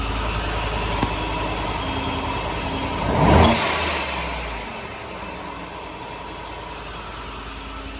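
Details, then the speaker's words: Truck fitted with a Vortech and Beefcake Racing V3-SI supercharger kit with a discharge valve instead of a race blow-off valve, started in the shop after install; one quick blip to a whir, soft settle to steady idle, much quieter valve, healthy. "So it's still going to sound loud because we're in my shop, but this discharge valve is so much quieter than the race blow-off valve."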